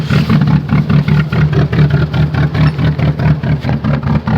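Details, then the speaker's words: Chevrolet Cavalier cold start at 0°F: a lumpy, uneven idle pulsing about twice a second with clattery misses at steady speed, described as sounding terrible, like a rotary; cause not found. "oh yeah here you go oh oh she sounds terrible sounds like Kim v8 oh you poor car oh"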